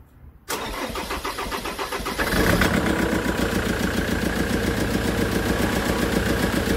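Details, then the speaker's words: Land Rover Defender Puma 2.4 TDCi diesel, first start after rebuild (new wiring loom and oil pump, fuel system bled), air filter box top fitted, no coolant yet, windy outdoors; brief crank, then a steady even idle clatter with no misses. "what quite pleased that our well that started very good very good"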